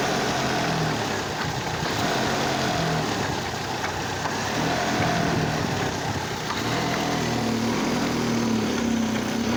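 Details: Oldsmobile Alero misfire: uneven idle with an irregular stumble and light tapping about four times a second, apparently from the radiator area, and intense engine vibration on light acceleration and revving. A cylinder misfire is suspected but not confirmed.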